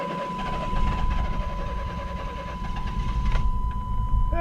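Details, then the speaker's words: Long-sitting, musty used project car whose fuel injection system is reportedly busted, started for the first time: rough, lumpy, stumbling idle right after start-up. The extreme misfire is part of its running problem. Engine misfire. "well as you can see guys it's got an extreme misfire and that's part of the running problem part of why i got it so cheap is because the fuel injection system is busted on this"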